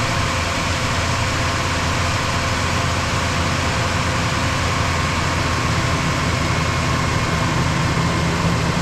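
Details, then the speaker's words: 2005 Ford F-150 V8 idling smoothly with a steady low rumble and no misfires, after the blown-out cylinder 3 spark plug threads were tapped and a new plug installed, codes cleared; intake gasket leaking coolant. "well she's running no misfires guy got lucky I think he's gonna be pretty happy"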